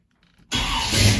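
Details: 1984 Chevy K10 with a Holley Sniper fuel injection conversion and a mild cam: silence, then the engine catches instantly and settles into a steady, even low rumble with no stumble or misfire.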